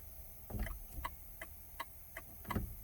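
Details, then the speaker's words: 2000 Ford F-150 turn signals dead while hazards work; sharp, slightly uneven flasher clicks about two a second in a quiet cab come and go as the steering column is tilted up and down, pointing to a broken wire or loose connector in the column harness. "Tilt it down, stops working. Tilt it up, it starts working."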